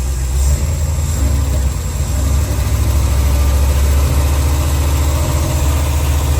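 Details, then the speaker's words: Old dually truck V8 revived after sitting, just after lifter/valve adjustment with valve cover back on, not yet fully warm: deep, steady idle with no lifter tap; much smoother, though vacuum leaks found afterward. "Just enough that we can not hear the lifter tap. Yeah. That sounds nice. Sounds a lot smoother."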